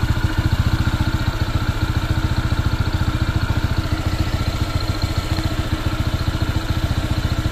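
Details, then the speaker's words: Honda PCX 160 scooter, new and not yet broken in at about 38 km, idling with a steady thump near 3.5 a second and a light rattle; the noise persists and grows louder, and the owner suspects it needs break-in. "hindi hindi nga oh may tumutunog pa rin oh yun lumakas"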